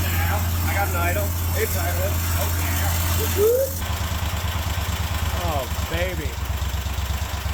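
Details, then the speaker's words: Kohler 24 hp SV725 engine on a Cub Cadet 1050 Hydro, after the carburetor idle circuit was cleared, started on choke: it runs an even, steady idle with a regular beat, a touch faster than desired but smooth. Normal idle. "baby still a little higher than I'd like I don't know I like low idle"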